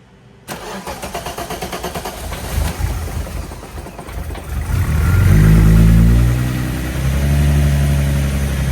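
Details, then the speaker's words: 1984 VW Rabbit GTI with VR6 swap after fuel system overhaul, fuel drained: pump runs only while cranking, so steady cranking about three turns a second for several seconds to prime before it catches and runs; checking for leaks. "It's obviously going to have to prime fuel because all of the fuel is out of it now. But, I'm going to crank on it and see if I have any leaks."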